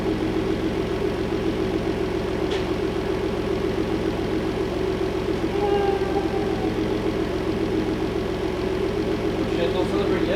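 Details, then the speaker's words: Replacement engine fitted after the old engine developed rod knock, running with the hood on: steady, even, smooth idle hum with no knock or tick. Normal idle. "I put the hood on running without knocking I'll take the celebration"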